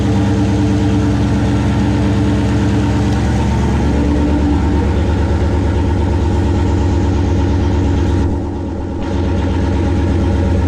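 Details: 1969 Plymouth Valiant, stock 360 Magnum V8, Mopar Performance cam, Proform intake, TF727 transmission, GT45 turbo 5 psi, fired up after intake manifold refit; deep, steady idle with even lope, no knocks or misses; normal idle.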